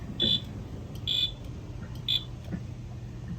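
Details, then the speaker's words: Wheelock Fenwal MT-24-LSM horn on code three, tripping when coder plugged in due to resistor issue, goes off at almost any voltage: three shrill horn blasts over low hum; fire alarm horn sounding unintentionally. "you can hear that the Mt is tripping because these things will go off for practically any voltage"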